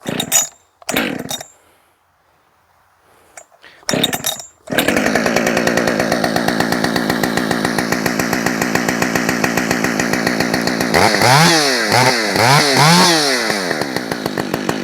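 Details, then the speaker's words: Husqvarna 565 chainsaw after a muffler mod, restarted about an hour after last running, choked: a few rope pulls, then it catches into an even, steady idle and blips cleanly. Not very loud; it runs healthy. "It's not very loud at all."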